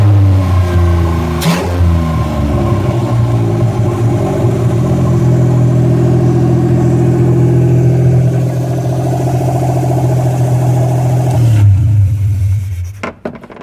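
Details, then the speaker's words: South Korean microvan with 800cc three-cylinder OHC engine, running with no muffler and no catalytic converter: loud, raw, blatting exhaust rising and falling with each rev; a vacuum leak on the manifold is also present. "pretty noisy there's no Muffler no K converter so we're breathing raw exhaust"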